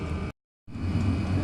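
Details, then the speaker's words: Chinese diesel heater with a 5 m extra-long 22mm copper exhaust, running 5-10 minutes: steady low roar and fan rush, even after a short dropout; long exhaust not upsetting the running; normal running. "it's only been on uh 5 or 10 minutes and uh it doesn't seem to be upsetting the running of the machine at all"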